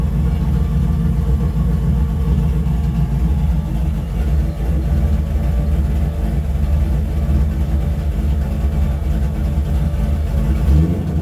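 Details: After a further mod to the primary carburettor circuit ended months of trouble, the engine note is deep and even, holds steady and picks up cleanly without stumbling or popping; throttle response improved, idle about the same, and it revs freely.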